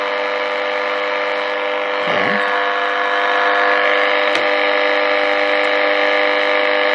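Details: Early-1950s HMV Little Nipper Mark II radio after a failed repair attempt: steady mains hum with no stations while the dial is swept; oscillator not working, owner suspects the oscillator coil.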